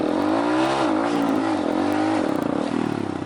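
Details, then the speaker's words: Honda MSX 125cc manual motorcycle in 1st gear, engine revved high then clutch released; revs dip briefly as the clutch bites under load, then recover and pull away without stalling, a normal launch. "이렇게 멈추지는 않을 거 예요 . 죄송합니다 . 시동이 꺼지지 않을 겁 니다 ."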